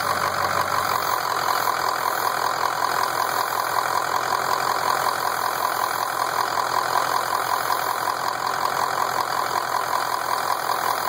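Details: Ford F250 idling with a steady, airy hiss of constant rhythm, apparently from a leak at the top of the engine. Cause unconfirmed.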